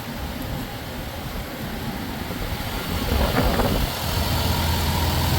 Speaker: she sounds good. I'm not overly concerned.